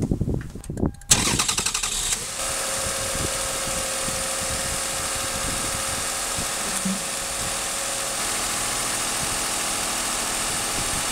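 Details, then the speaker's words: 2001 Toyota Avalon, 1MZ-FE 3.0 V6, first start after Bosch alternator replacement, charging 14.6–14.7 V: quick crank, clean catch, smooth steady idle with faint even hum, no knocks or squeals; normal start and idle. "Sounds good, not making any noises or anything."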